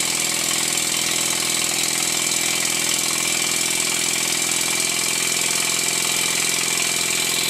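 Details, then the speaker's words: Stuart 10H steam engine running in after valve timing reset (near perfect, slightly retarded), run at high then low rpm: quick, slightly uneven steam beats about three a second under a loud hiss; still bedding in but getting better. "After running the engine at a high RPM, followed by a low RPM, I can hear that it's getting better."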